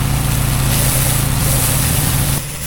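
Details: Harbor Freight Predator 13 HP 420cc OHV gas engine driving a budget pressure washer pump: running fast and steady with an even beat, dropping slightly near the end; running normally.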